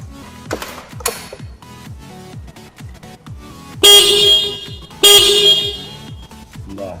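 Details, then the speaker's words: Motorcycle horn tested via horn switch (black wire battery positive through ignition, light green to horn, green to ground): two short loud steady clear blasts with no waver or rasp; horn normal, no trouble. "ini kunci berarti masih kondisi normal, belum ada trouble."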